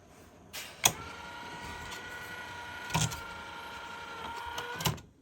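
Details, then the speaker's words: Technics RS-M245X cassette deck (1983): small motor whine with clunks as the mechanism struggles to shift modes; slipping belts plus one disconnected connector appeared to be the only faults, needing a transport service. "it appears that's the only issue is we've got slipping belts in there and uh we had a connector disconnected for some cut and picking"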